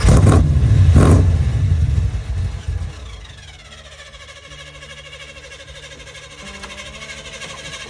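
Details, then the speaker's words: 1975 Corvette C3; engine noise dies, then a thin steady whir as the starter stays stuck engaged for about 30 seconds after starting; owner suspects wiring or battery connections, not confirmed. "I found another tray and I just went to start the car up and the starter got completely stuck. The starter was turning for about 30 seconds."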